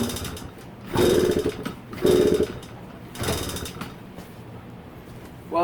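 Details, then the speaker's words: Yamaha PW50 two-stroke, sat in a shed for years, fresh premix, fuel on, choke on: three kick strokes give dull mechanical clatter with no firing; no start. "safe to say it is not starting up"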